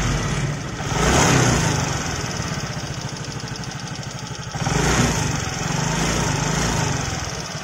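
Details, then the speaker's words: Fairly new motorcycle idling: quick steady metallic ticking, loud knocking attributed to excessive valve clearance. "ngelitihnya lumayan kenceng ya"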